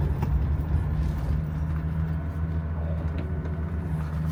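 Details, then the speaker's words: Old Mercedes-engined car with M110 engine, start and idle: catches and settles straight into a low, steady, even hum with no knocks or misses; normal start and idle typical for this engine. "Yeah, this is how this M110 engine usually starts. Nothing to it."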